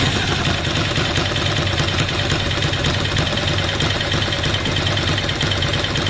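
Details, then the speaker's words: Ducati Monster twin idling after a cam belt change: even idle with a fast, regular light rattle on top, the dry clutch ticking; normal Ducati dry-clutch rattle, not a fault. "anyone wondering about the particular sound you getting the engine it's the touches on Ducati they make that ticking sound take 250 tttt chicken it's not false it's the clutch"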